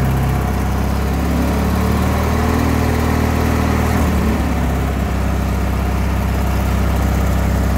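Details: LX176 lawn tractor after repairs, now driving without the belt slipping; a spindle still needs replacing. The small engine thumps evenly at idle, its pitch shifting once as the throttle changes, running steadily throughout: normal running.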